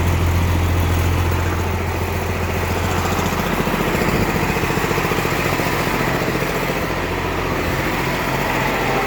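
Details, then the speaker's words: M35A2 truck with a swapped Cummins diesel during first cooling-system fill. It idles too fast with an even beat around 200 a minute; the owner plans to tighten the governor springs to drop the idle. "that's still not it's still not right it's idling too high and it's I know what it is I've got I've got to tighten those governor springs another couple clicks"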